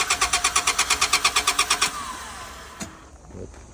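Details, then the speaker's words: 2000 Honda Accord, reportedly running earlier: starter cranks evenly at about three beats a second for two seconds, never fires. Cranks but won't start; suspected no fuel. "sounds like she's not getting any fuel."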